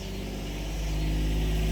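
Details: 2019 John Deere XUV 865R Gator diesel after replacing burned, jerky synchronous drive belt (M174096): smooth even drone building steadily as it pulls away, no slipping, jerking or squeal; new belt drive works.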